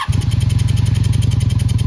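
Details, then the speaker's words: Yard-sale Honda Magna VF700 motorcycle, first start after carb float bowl service and leak fix, no choke, warming up: catches immediately and settles into an even fast putter with no misses, starting to pick up; normal idle. "That's okay, it sounds like it's starting to pick up a little."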